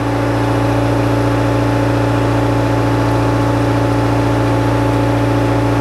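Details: Bobcat S64 R-series skid steer with weak hydraulics, unable to lift arms; main relief pressure being adjusted to about 3500 psi (screw in to increase). Diesel at steady mid-speed with even pump hum, no whine or chatter: normal hydraulic system operation.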